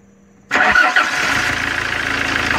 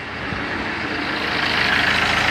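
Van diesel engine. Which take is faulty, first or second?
second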